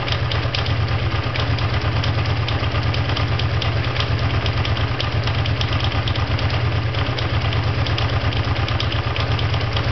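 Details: Honda VT500FT at steady low idle with a fairly regular light ticking about three beats a second laid over it; abnormal idle noise, cause unknown.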